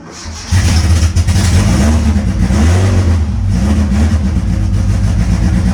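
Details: Mitsubishi Eclipse GSX AWD turbo nitrous drag car, cold start after sitting weeks, not yet tuned, battery 11.9 V: catches after short crank into uneven, hunting idle wavering in pitch; rough cold start, owner expects it from lack of tune.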